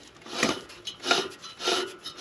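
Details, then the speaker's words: Toro Greensmaster 3250D cylinder mower reel, hand-turned while adjusting bedknife: three light rasping swishes about every 0.6 s, faint even brush; bedknife slightly tighter but still too loose to cut. "you'll hear that's a little bit tighter but it still won't be enough to cut the all right okay"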